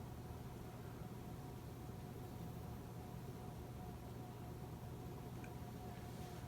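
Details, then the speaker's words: 2004 Casablanca 19th Century 54-inch ceiling fan, XLP-2000 motor, Inteli-Touch control, running with two of four blades: steady low hum with faint higher whine, stopping instantly at switch-off; owner unsure of cause but thinks it electrical noise. "And it makes some noise, I'm not sure why. The noise stopped right when I turned it off, so it seems to be some electrical noise."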